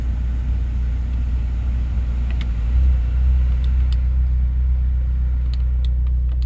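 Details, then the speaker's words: 2004 Honda S2000 with 109,000 km, idling with the heat on and a fan whooshing in the cabin, check engine light from a missing catalytic converter: low, steady rumble with no knocks or misses; normal idle. "We're gonna walk around to the passenger side and we can hear it running for a minute. It seems to run pretty smooth."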